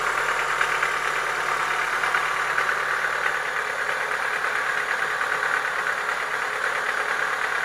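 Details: Chevrolet Lacetti 1.6 engine: steady fast light knocking, roughly three a second, over an even idle, from worn pistons slapping in the bores. Piston knock, cured by boring the block and replacing the pistons.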